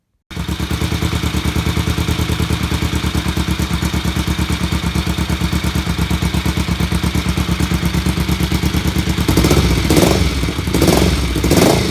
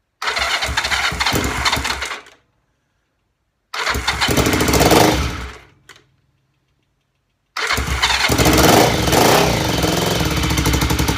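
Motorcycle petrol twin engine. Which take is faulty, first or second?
second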